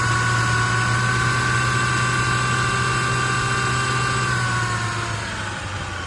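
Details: Toyota 1VD V8 diesel at idle: steady note with an even light ticking about four times a second; faulty camshaft.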